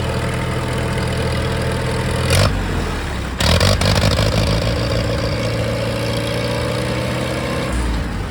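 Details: Allis Chalmers 170 tractor after replacing a bad coil-to-points wire that caused an intermittent electrical fault; brief cranking, catches at once and settles into a steady, even idle with no misses. Normal start and idle.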